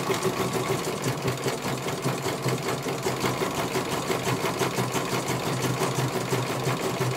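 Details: CNY computerized embroidery machine being serviced, whose dynamo motor earlier would not turn: brisk, even needle clatter at a steady pace, no knocks, grinding or drag; stitching smoothly, one colour finished, judged very good.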